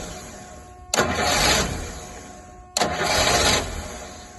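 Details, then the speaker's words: Rolls-Royce Silver Shadow with rebuilt fuel pump, cold day: two one-second cranking bursts, starter churning evenly with no firing; fuel reaching carburettor, needles moving and spark present, but won't catch. Owner suspects cold start or choke fault; cranks but won't start. "different just won't uh won't catch I mean these are coming up so the needles are moving there must be fuel gaining there right the TA tail is working it is sparking but it doesn't seem to want to do anything other than this"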